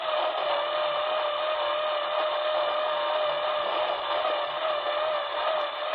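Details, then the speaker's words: Icom IC-7000 receiver across the upper HF band: constant hiss with a pulsating motor-like tone rising and falling in pitch, running 24 hours a day for a week, burying signals; source unknown, treadmill suspected. "sounds like some kind of motor just alternating and frequency high and low goes faster and slower and uh it's been on continuously 24 hours a day"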